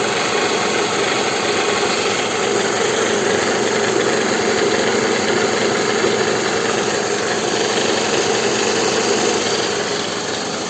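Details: Toyota Estima 2R engine idling after the balance shafts were restored, to fix a knock at the front lower pulley area: a steady, even idle with a constant background whir and no knock, sounding healthy.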